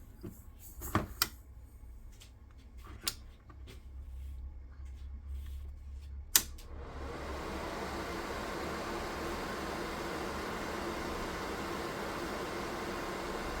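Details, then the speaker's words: DIY 3D-printed soldering smoke absorber with a 120x25 mm 12 V fan rated 2800 rpm and 44.4 dB maximum, run at maximum power: after some clicks, a smooth steady airflow rush with no rattle or tick. "now here is installed a fan with a maximum rotation speed of 2800 revolutions per minute, current strength 42 Amps, the manufacturer of the fan declares that the maximum noise level is 44.4 db"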